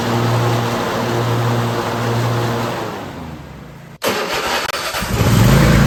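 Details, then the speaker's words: Riding mower after replacing a worn deck bushing inside the bearing and reassembly: steady even engine hum, deck turning smoothly, zero vibration, no shake or rattle; normal deck operation. "So she sounds pretty good. There's zero vibration while the deck is running."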